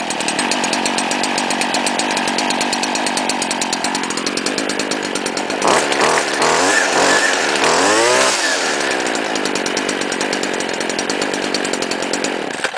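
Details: 2010 STIHL FS70-RC-E trimmer with semi-automatic choke, Grass Gator line fitted: bright buzzing idle, revs up and settles back cleanly, no bogging or sputter; owner notes flex crankshaft shakes it when revving; normal running.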